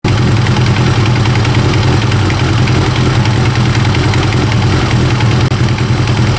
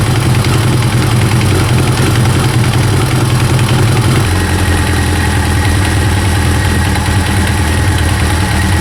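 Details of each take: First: Kawasaki ZX9R first-generation four-cylinder idling with a dry, uneven rattle from the top of the engine: slack cam chain, addressed by resetting the cam chain tensioner. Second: First-generation Kawasaki ZX-9R four-cylinder idles smoothly and evenly, no rattle or tapping, after resetting the cam chain tensioner to fix an engine knocking noise.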